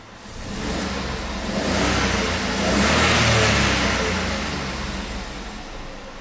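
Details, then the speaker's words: VW Up after the fuel/engine adaptation completed successfully, reading 55% ethanol: the engine rises smoothly through one rev and eases back with no stumble; the car has stopped vibrating and runs cleanly. "e eu já sinto não funcionar do carro que o carro já parou de vibrar mais tá outra se ele não viram mas agora já melhorou"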